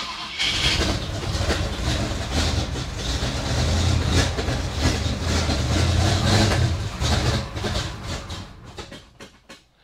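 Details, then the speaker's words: 1956 Chevy wagon with tunnel-rammed big block V8, cold start after sitting all winter in a snow bank, has oil pressure; irregular chuffing idle with recurring stumble, sounds like missing on one cylinder, cause unconfirmed; misfire. "Got oil pressure. Maybe it's a sign I should keep this thing? I don't know. Sounds like it's missing on one."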